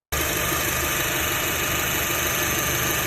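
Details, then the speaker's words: Idling car engine before tensioner pulley replacement; busy, rough rattle and hiss through upper range over steady base; owner attributes noise to worn belt tensioner pulley bearing; worn belt tensioner pulley bearing. "皮带轮有哪些？发电机的轮、张紧器的轮、助力泵的轮、水泵轮，这些轮子的轴承坏了之后，发动机一转动运行的时候，就会噼里咔啦的声音出来。"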